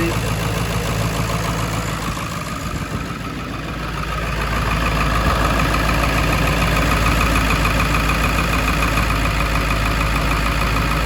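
Even diesel idle with a steady, regular clatter around three beats a second, no misses or stumbles; engine running normally.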